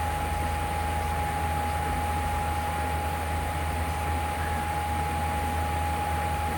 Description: It’s Super Loud